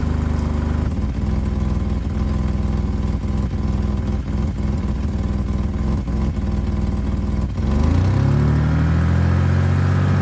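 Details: 1985 BMW 535i E28 with M30 engine, cold start at 19°F after sitting for months; cold idle with sharp ticking puffs on each firing pulse, then a rev change, from a pre-existing exhaust leak where the headers meet the catalytic converter.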